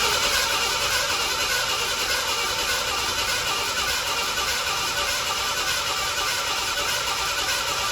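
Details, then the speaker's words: 1987 Ford Bronco II, abandoned 15 years, after a fuel pump change: even starter cranking around 100 beats a minute under a hissy whine, with the fuel pump audible, never catching. Owner suspects no spark. "I did have it sputter before, but maybe I don't have something electronic here. If we don't have spark."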